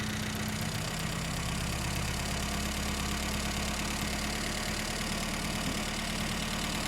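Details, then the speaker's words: 1975 Mini Clubman estate with an engine stored 12 years, after carburettor swap and firing order correction: steady, even idle with low rumble, no knocks or stumbles; runs fine but needs tuning, wiring and clutch bleeding. "that's not bad is it now it's gonna need a bit of tuning it's gonna need some wiring the clutch bleeding"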